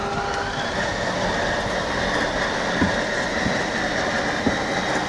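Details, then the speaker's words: 2017 Thor Four Winds 28Z Class C motorhome slide-out room extending, with parking brake engaged and 12V power on. Steady, even electric motor hum with a couple of light clicks, normal operation. "in order to do so you're gonna press up and hold on the switch that says slide extent"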